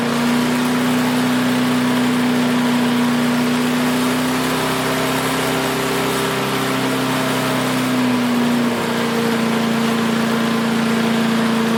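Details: Craftsman 5 hp wood chipper, revived after sitting 3 years jammed: even, steady buzz and constant hum, no surging or stumbling; initial smoke, likely WD-40 or PB Blaster, cleared and exhaust ran clean. Running smooth.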